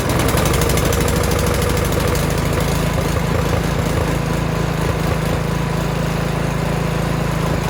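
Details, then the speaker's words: Toro Snowmaster 724 two-stage gas snow blower, newly assembled, just pull-started after 3–4 primer presses: small single-cylinder engine settles into a steady, even putter with a constant deep hum, no knocks or misses; normal idle. "Okay, so I just started it with the pull start, so now I'll show you how the electric start works."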